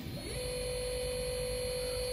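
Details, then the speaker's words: CNC router servo motor on a T3D series HL-T3D-L20A-RABF servo driver, jogging at 3000 rpm in both directions: a quick rising whine settles into a steady, even, quiet high tone with no vibration. The servo is running normally. "3.000 RPMs. Muito estável, muito silencioso, tá?"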